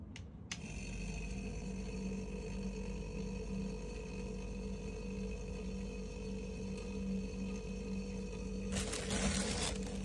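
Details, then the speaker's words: Single-door freezer fridge that was not cooling, after fitting a new overload protector; compressor starts and runs with a low even hum and faint steady whine, normal. "lepas dah tukar pun, kompresor pun dah jalan."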